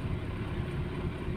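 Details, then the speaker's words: Toyota Starlet engine at cold start, idling on choke before warm-up, low slightly uneven rumble with shake and audible valve ticking from the cylinder head; choke should be lowered after about 5 minutes once oil circulates. "Nah, ini belum panas, jadi dia mesin masih geter ya. Dan juga suara yang di klep itu juga akan di bagian atas silinder head itu akan seperti suara klepnya akan lebih terdengar gitu ya."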